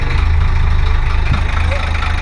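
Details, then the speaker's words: 1985 Ford Hino diesel truck revived after sitting: a deep, even diesel thrum at idle with no knocks or misses. Normal, smooth idle. "Sounds good, Bill. Sounds real good."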